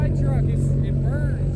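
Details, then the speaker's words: Diesel truck, warm after drifting and burnouts: deep, heavy, lumpy rumble under tyre chirps, hazing heavily as if on a low tune; owner suspects shot injectors over-fuelling, rough running. "my injectors are so bad on this thing right now. You see, it's hazing like crazy and kind of sounds like it's got a low tune."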